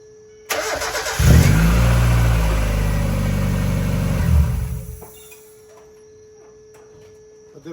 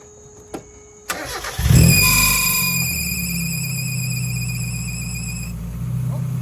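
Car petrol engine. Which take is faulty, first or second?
second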